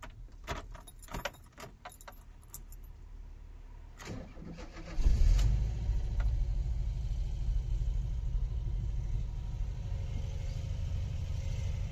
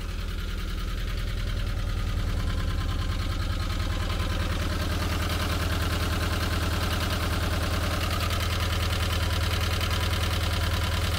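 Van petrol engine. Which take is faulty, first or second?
second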